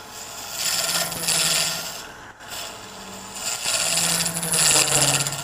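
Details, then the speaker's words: Turning small resin piece on a lathe with a micro round carbide cutter: scratchy, uneven high-pitched rasping bursts as the tool chatters at the thin waist; relief cuts with a pointed tool suggested to ease it. "and you hear it chattering I think you can probably hear it chattering so if I come in with my pointed tool I can make these Cuts these relief cuts and it will make it easier on my round cutter"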